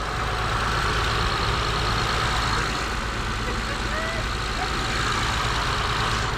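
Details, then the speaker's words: Car previously a no-start, running right after programming a key: even, steady engine hum at idle with no stumbles or knocking against light outdoor background; normal idle. "And there we have it. We have a running vehicle. All right, that bad boy is running."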